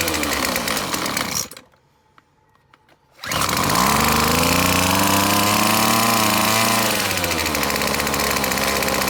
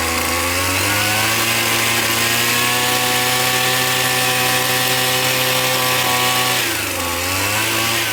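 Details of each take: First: McCulloch T55 CLS line trimmer, spark present, two-stroke fuel poured into the cylinder: buzzes, cuts out, fires again and revs unsteadily before sagging, won't idle; owner first guessed a blocked carburetor jet, later found the cylinder head bolts loose. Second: McCulloch T55 CLS line trimmer after tightening loose cylinder head bolts, the cause of its no-start: high even two-stroke buzz holds steady, dips briefly and recovers cleanly; runs smoothly and strongly.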